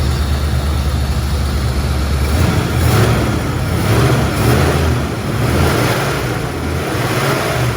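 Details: 1977 Mustang Cobra II, bought as a blown motor, owner wondered about a rod bearing: steady, even idle with low smooth burble and no knocks or misses; engine running healthy.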